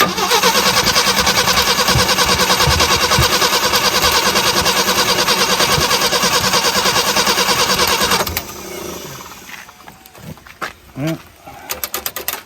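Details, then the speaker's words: 1975 Jeep CJ5, not run in over 20 years: starter grinds over at steady three beats a second for about eight seconds without firing; cranks but won't start; owner suspects flooding, coil or plugs. "can you uh do me a quick favor just just tap this a little bit okay while I crank it I might have flooded it"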